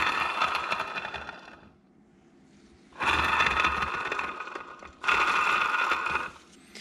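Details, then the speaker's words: Polaris RZR Turbo front differential, bearing turned by hand during rebuild: gritty grinding and scraping in bursts, catching on debris, likely metal chunks and filings inside; worn bearing, really loud. "little Lube in there you're gonna hear it's hitting something bearings really loud now he's probably chunks of metal filing in there"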